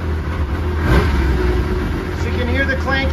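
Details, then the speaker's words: 2005 Yamaha Vector snowmobile running with the factory clutch repair kit installed, recorded inside a trailer. A low, even engine drone with no clanking; much quieter and smoother than before. "gone now runs nice and smooth nice and quiet it's echoing a little bit in this trailer but yes you sounded really good"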